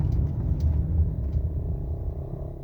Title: rattle noise aftermarket active engine mount on a 2011 honda odyssey@ sandman's garage